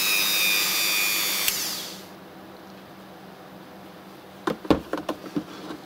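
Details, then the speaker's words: RYOBI engraver rotary tool: high, steady whine with no rattle or wobble, then it stops. Vibration acceptable overall; only one part of the body vibrates at max speed. "на максимальных оборотах вибрирует эта часть с этой частью по поводу вибрации все в порядке и так шум и"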